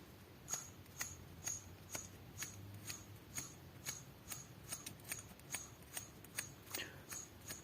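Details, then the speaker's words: Chrysler/Dodge 2.5 SOHC V6 (6G73) timing belt tensioner pulley, spun by hand during engine teardown inspection; sharp dry clicks about twice a second show initial bearing wear is already present. "À en juger par le bruit, l'usure initiale est déjà présente."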